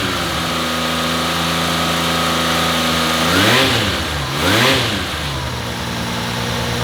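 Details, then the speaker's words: Rebuilt-carb Honda CBX, restarted after sitting a couple of weeks with a battery needing charge. An even idle that climbs cleanly through two quick blips and settles back steadily. Once enough gasoline reached it, it revs and runs normally. "I think that final bit of gas that got into it finally was enough to let the bike just rev up."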